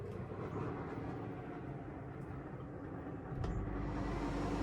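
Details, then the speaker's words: Gree non-inverter roof air conditioner in NewAge RoadOwl caravan, started on Enerdrive 2600 W inverter with lithium battery and about 20-25 A solar: dull roof clunk then steady low compressor hum; normal startup. "All right, what we'll do, put the air conditioner on. There's the Gree, all right, a non-inverter AC. I want you to hear the startup."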